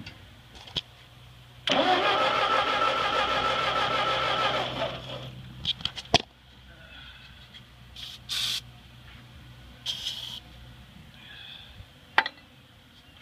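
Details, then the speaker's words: Ford 8N tractor that sat 4–5 years, battery terminals reversed and cranking faster now: starter cranks about three seconds with a faint attempt to catch but never runs; low on gas, fuel suspected. "well let's uh let's get some gas I heard it trying to Fire and uh let's put some gas in this thing and see what it does"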